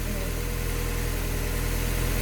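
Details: Automatic-transmission project car, warm idle after repairing a coolant leak from missed gasket material at the back of the block, with transmission fluid being checked hot: steady, even idle with a smooth low hum and no knocks, misses or ticks; normal.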